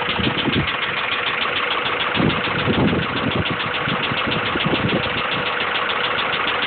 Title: b16 rod knock.3gp